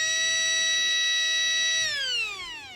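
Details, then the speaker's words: Traxxas Nitro Rustler starter motor after a few drops of oil on its bushings: steady high whine, faster than before oiling, then falls away smoothly as it winds down; spinning freely with no grinding. "Now let's see how, listen how fast it spins. Did you hear it? Did you hear it once that oil kicked in? It started speeding up even faster."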